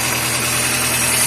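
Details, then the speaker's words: Chevrolet Corsa Classic idling after the battery was replaced. The battery and injection lights went out and the earlier rattle is gone, charging 13.65–13.70 V. A smooth, even idle hum with no rattle or whine: normal idle. "não tá fazendo mais tá vendo ó deixa eu ligar a l aqui ó já não tá fazendo mais"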